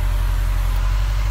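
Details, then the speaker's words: 2016 Subaru WRX with 36,000 original miles, started with hood open; smooth, even, quiet idle with steady rumble and no ticks or knocks; normal. "weird noises, no weird sounds. It's very, very quiet. There's your Subaru engine right there."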